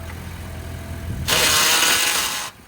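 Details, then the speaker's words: Wrecked 2017 Buick Encore, jump-started, with the rear wheel visibly twisted: quiet idle, then a harsh hissing grind for about a second when put into gear. It indicates an axle problem, and the car won't move. "Got an axle problem as you can hear when you go to put it in gear."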